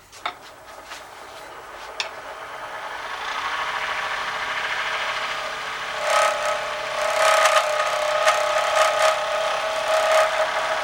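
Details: Wood lathe turning pens: rasping cut, then a thin high squeal that comes and goes under the tool while cutting; source of the squeal not yet found.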